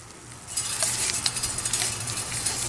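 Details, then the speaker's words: 2004 Chevrolet Suburban front hub spun by hand with caliper and rotor removed: dry, crackly run of fine clicks from a worn wheel bearing, heard as clicking while driving; bearing being replaced. "And it's like a clicking noise. I can hear it when I'm going down the road."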